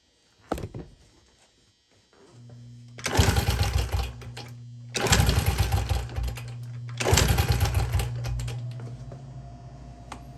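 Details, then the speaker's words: 2000 Honda XR70 single, smoky and rich-running, kicked at full throttle with choke off for a compression test: quick, light, even chuffing with little resistance; only 50, low compression. "it's looking like I'm only hitting 50. not too good"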